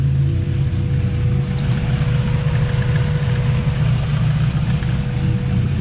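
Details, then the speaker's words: Right-hand-drive turbo Honda Civic right after a cold start: a lumpy, slightly hunting idle. It runs rough while cold and smooths out as it warms. "but she's just kind of real rough idle right now."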